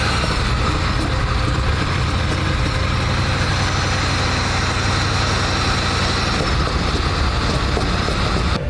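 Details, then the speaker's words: Car on a cold start with zero coolant in the reservoir: uneven idle with an occasional stumble and the speed bouncing slightly; an intermittent misfire that improves once off the cold start. Cause not confirmed. "The car runs. And it still sounded like the odd time it had a bit of a misfire."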